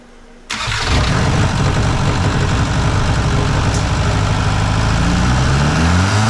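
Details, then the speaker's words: VW Mk4 Jetta TDI ALH diesel, first start with another replacement engine: catches then heavy, uneven clatter that never smooths, with lots of smoke; injection quantity not yet set correctly, traced to an 11 mm pump fitted on others' advice. "Well, it ran. It did run. Um, now I just got to get the injection quality correct. So, I'm not quite sure which way to go. It's quite a bit of smoke, but that's okay."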